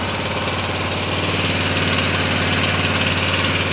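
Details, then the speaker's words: 2003 Honda Rincon 650 ATV idling as it warms up: loud single with a quick, fairly even tapping about four a second over the engine beat, growing louder as it warms; engine tapping noise, cause not yet identified. "Definitely has a noise to it. So, we're going to be looking into that."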